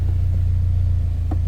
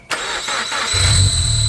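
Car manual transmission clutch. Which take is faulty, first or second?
second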